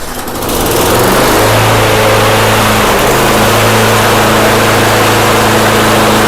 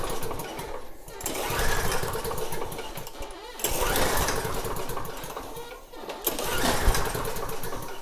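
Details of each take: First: Snapper mower engine after fuel dumped in and carburetor jets cleaned: it catches within a second and holds a steady, even drone with no surging or misfire. It now runs properly. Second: Snapper mower engine (same engine as a John Deere unit), pulled with the recoil three times: it spins briefly but never fires. No spark at the plug, which is wet. The no-start was traced to a grounded kill wire.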